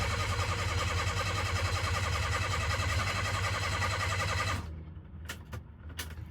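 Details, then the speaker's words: Mitsuoka Yuga no longer blowing a fuse, starter worked repeatedly: steady chug of roughly three and a half turns a second for over four seconds that never catches; extended crank with no start, owner suspects a fuel supply problem. "think it's just not getting the right amount of fuel. You hear that? And I feel like it just has to be a fuel issue."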